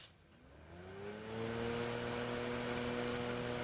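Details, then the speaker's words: LED light with built-in fan, 25 W light alone, fan switched on by power-cycling the lamp: the fan motor winds up over about a second, then a steady, even hum with no rubbing or rattle and good airflow; healthy running fan. "Define stars and it's fairly powerful I have to say I've tried this and uh it certainly a good airflow"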